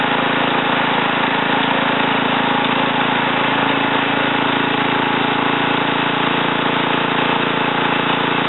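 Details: Ariens TA20A Trans-a-matic rototiller after engine rebuild and plate-clutch repair, carburetor untouched, run in a wooded area: small single-cylinder steady, even drone under light load, no surging or stumbling; normal running.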